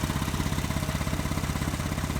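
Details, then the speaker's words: 2014 Ford Transit 3.5 at idle, belts just replaced elsewhere: loud rough rumble with rapid steady pulse from drive belt area; aftermarket belt tensioner pulley bearing lost its grease and failed; OEM replacement advised. "huge noise. from the drive belt area. The belts just been replaced here."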